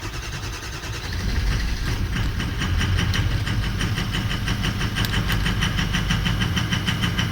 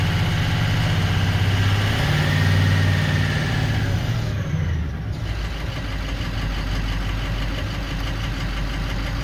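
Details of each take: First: 2004 Ford 6.0L Powerstroke diesel pickup, rough running: cranks and catches into an uneven, lumpy idle with ragged clatter; FICM voltage drops to about 40–42 V (should stay above 45) while ICP pressure is correct at 1280, so the FICM voltage is low. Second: 2004 Ford 6.0L Powerstroke diesel after repair (injector wiring fixed using a 7.3 connector line): steady idle with even clatter, no stumbling or missing, running smoothly.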